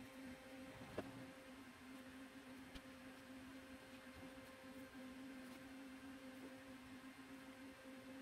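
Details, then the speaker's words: Stock CPU cooler fan on an open bench under a Cinebench R23 multicore load, CPU around 84–90°C: a steady loud whoosh, hum and faint whine, with no ticking or rubbing, at full speed. It sounds normal. "and it is pretty loud actually when you put it inside a case behind temper glass you're not really going to uh hear"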